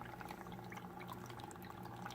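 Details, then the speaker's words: Aquarium filter after removing the filter media: gentle continuous trickling and splashing of water with only a faint impeller hum beneath; flowing normally. "some people hate the sound of the trickle but just for example you go from this sound to when I remove the filter media"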